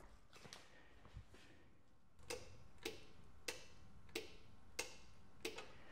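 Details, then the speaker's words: Briggs and Stratton Intek single-cylinder OHV engine during carburetor replacement, ignition key on, camera near the shut-off solenoid: crisp metallic clicks about every two-thirds second; fuel shut-off solenoid working normally. "okay so it's working properly you can hear that click"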